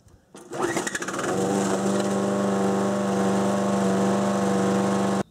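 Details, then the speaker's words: 6 hp Briggs & Stratton engine on a Murray mower deck, at wide-open throttle before the governor spring adjustment: spins up to a steady, even drone held at a modest top speed; governor-limited low top speed, doing the bare minimum. "So, you can kind of hear what I'm talking about. You'll hear the max power that the mower can produce. So, you can hear what I mean. It runs. It does its job, but it kind of does the bare minimum, which is not acceptable."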